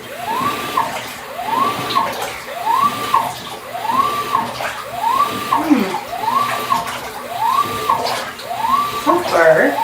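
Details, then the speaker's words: GE top-load washing machine that made a loud grinding, with the cabinet opened up and the lid shut so it keeps running; even motor hum rising and falling as the agitator reverses about every 1.25 s, no grinding this time; normal agitation. "not hearing the grinding the way this i'm not sure why all i did was open the lid"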